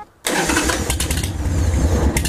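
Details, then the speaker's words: 1998 Harley-Davidson Sportster 883 after replacing the leaking carburetor accelerator pump diaphragm: fires instantly into a deep, loping V-twin idle without stumbles or misses; normal start and idle. "Get it checked out, because the bike sounds fucking amazing."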